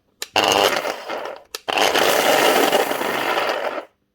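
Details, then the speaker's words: Galeski Polifox 1500 W wet grinder (2023) with replacement brushes from another brand; two short run-ups with a rough, gritty grinding roar over the motor hum, diagnosed as worn motor bearings, fixable. "we all know what that is. Bearings. So it can be fixed."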